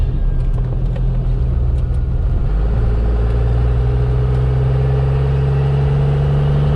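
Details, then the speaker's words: First-gen Cummins diesel truck with heavily abused automatic transmission, hard pull without spinning tires: deep diesel drone climbing steadily, even beat, no knocks or misses; transmission temperature stayed under 140; normal acceleration. "Try to do a hard pull here so we can accelerate decent without spinning the tires."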